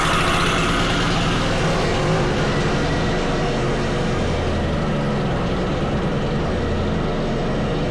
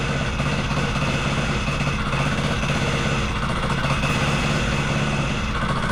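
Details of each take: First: Wacker plate compactor on starting, using a switch borrowed from the owner's other plate: the engine holds a high, steady roar and won't drop to idle, easing only near the end. The throttle had been turned up and the carburettor throttle is sticking open. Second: Wacker Neuson VP1030 plate compactor after governor, throttle lockout and carb adjustment: steady low drone with an even thumping pulse, no misses or surging. It runs normally; owner suspects worn clutch springs.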